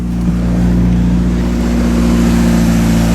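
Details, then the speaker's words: Acura/Honda Integra (DA) bought cheap, running after a hidden fuel pump switch under the rear seat was turned on: strong, even engine note at steady speed, smooth firing with no misses, knocks or rattles; engine healthy. "She sounds really good. Listen to that. Woo! Man, it actually sounds good."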